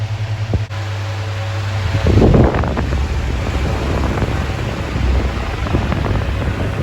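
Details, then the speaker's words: 2000s Bionaire 2cool 16-inch pedestal fan, bought used at a car boot sale, on high, drawing a stated 18.1 W: loud, steady rush of air with an even low hum, moving a lot of air; it runs normally but very loud. "But for air flow, it is moving an insane amount of air. But it is very very loud."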